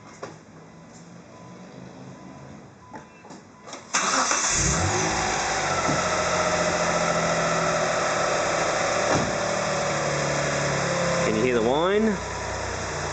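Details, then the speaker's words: Mitsubishi Legnum VR4 idling with all drive belts removed; new water pump, tensioner, timing belt and idler pulley, and the alternator was replaced without curing it. Steady high whine, loudest on cold start. Later thought to be a blown rear turbo. "I can see the belt tension, the timing looks pretty good, but it makes this whining noise, so here we go."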